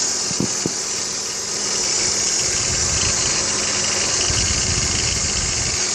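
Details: BMW X3 E83 engine idling under a strong high hiss and whir with faint ticking about four a second; owner asks whether tensioner pulley or water pump bearings, source unconfirmed.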